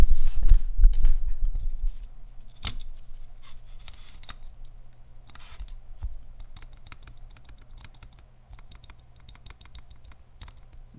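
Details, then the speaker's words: Mechanical keyboard stabilizer with Gateron Ink V1 switch held tight in PCB, key pressed repeatedly: sharp clicks with a faint tick each stroke from the stabilizer. "ticking I'm holding on the switch at least you know just so it stays tight in the PCB"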